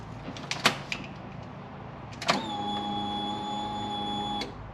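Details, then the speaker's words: Polaris RZR 900 fuel-injected engine, fuel pump priming with a pressure gauge on the rail: a click, then a steady high electric whir for about two seconds before cutoff; pressure holds at about 50 psi after an earlier drop from 44 to 40 psi. "So it's at about 50 psi right now. Seems to be holding at 50."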